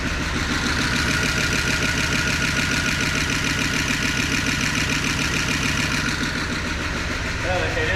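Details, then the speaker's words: 1988 Dodge Power Ram after 23 years of sitting, at about 35°F. It has milky oil but holds oil pressure, spits water from the exhaust, and the idle is raised slightly. Even, steady V8 burble: normal, super smooth idle; owner thinks the penetrant freed the rings. "I mean, it's actually running Yeah. super smooth."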